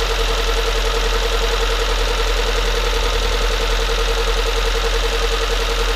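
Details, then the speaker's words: Freshly rebuilt Nissan CA18DET in an S13 200SX, first start with crank angle sensor and injectors possibly wrong: steady idle with an uneven beat and faint rattle; sounds incorrect, cause unclear. "we did it it's running okay now we're actually gonna have to run it and see um the sound sounds a little bit incorrect"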